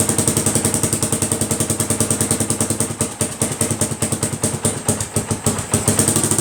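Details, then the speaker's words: 1980 Honda XL250S single cylinder, idling after a DIY patch of the broken exhaust header: sharp, rapid, raw barking pulses, much quieter than before but still loud; the header is still leaking. "well it runs again it's a little quieter i mean a lot quieter but still pretty loud so progress anyway"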